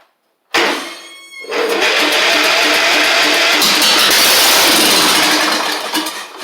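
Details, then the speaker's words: Replacement engine for a Troy-Bilt Horse XP, first start on a fresh battery after an earlier attempt failed, with the exhaust not yet swapped over. Brief crank catches into a loud, raspy, unmuffled single-cylinder run. Starts and runs normally, just without a muffler. "Alright, a fresh battery. And I want to warn you, it is going to be loud because I haven't swapped the exhaust over."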